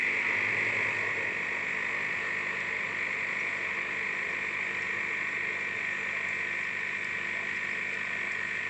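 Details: Philips 5360/10 espresso machine running: a steady buzzing hum with a fast rattling, croak-like pulse running evenly throughout; the cause of this unusual noise is unknown.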